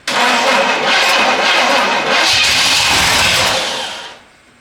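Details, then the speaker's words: Long-abandoned 1967 Pontiac Bonneville after cleaning the points: starter grinds slowly for about four seconds without catching; slow cranking, weak battery suspected, battery cable gets hot, engine ground also questioned. "Battery is not happy."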